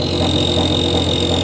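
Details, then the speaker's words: BoxMotor pulse motor with new big coils, tested coil by coil after replacing a bad chip: steady electrical hum with fine even pulsing and a high whine; runs on one coil. "let's see if it'll run on just the one if it'll run on one [Music] coil hear that sound that is"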